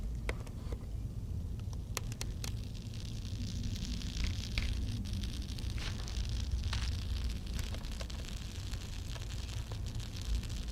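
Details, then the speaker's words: Grundig Majestic 3035 valve radio: irregular sharp crackles and snaps over a low hum, like sizzling sparks. The power transformer is believed to be arcing inside, still shorted when disconnected and smelling burnt. "Uh I think I'm sorry to report that our power transformer's failed. Uh I can hear it arcing inside. And I got it all disconnected, and it's still shorted, and it smells, too."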